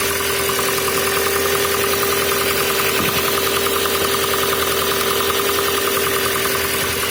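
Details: VW Passat B5, cold engine at idle; a steady knock about three to four per second rides over the engine hum, source undetermined: cold engine knock.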